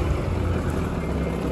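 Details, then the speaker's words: Abandoned Thomas Built school bus with 8.2 L diesel, first start: started immediately, deep steady diesel rumble at idle, fairly even with no knocks or misfires heard over wind; the idle is smoothing out, normal. "start it right up all right i don't know how they're supposed to sound but it sounds like perfect"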